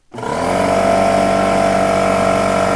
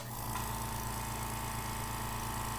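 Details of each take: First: Old Porter-Cable pancake air compressor (about 6-gallon tank): a loud, steady mechanical drone with a fast throb about four times a second and no letup. It runs excessively loud and needs attention. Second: Small quiet two-gallon air compressor, the newer replacement for an old Porter Cable pancake unit, runs normally with a steady low hum and even fast pulse, no knock or rattle, quiet enough to talk over, until the tank fills.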